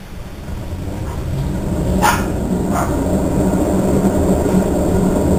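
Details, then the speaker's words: Three-year-old 2008 Whirlpool Cabrio top-load washer during spin: deep, uneven rumble building like a jet engine with rough roaring edge; owner says bearings and tub are bad, load evenly distributed. "raining out rev up in jet engine here bearings are bad the tub is bad it just make all kinds of racket here we go there we go again"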